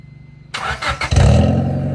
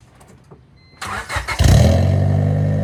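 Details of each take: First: 1996 Honda Civic CX with D-series engine, before replacing its worn eBay exhaust. It catches and settles into a loud, deep, booming drone, described as one of the worst-sounding Civics heard. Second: Normal exhaust note on a 1996 Honda Civic CX after fitting a replacement eBay exhaust with the rear silencer kept: the engine starts and drones deep and even with no puffing. Much better than before, though it rattles slightly.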